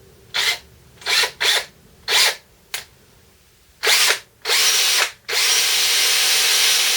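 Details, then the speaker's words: DeWalt 18V XRP cordless drill after repair for smoke and burning smell: commutator cleaned with fine file, gearbox back on. Short bursts then steady run, even whir, no grinding or stutter; normal running. "That seems to be working. Okay. It's early days."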